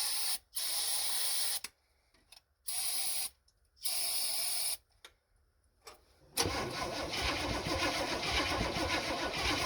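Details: 1974 Chevy C10 that had sat for a while, points ignition, after cleaning the points and scraping the distributor cap pins: several one-second bursts of cranking with no firing; no start, no spark.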